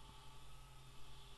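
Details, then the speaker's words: 400 W ATX PC power supply under about 1.5 A load on the 3.3 V rail: steady low fan drone with hum and faint whining; the PSU cooling fan is noisy. "what i have noticed is you have a noisy fan can you hear it"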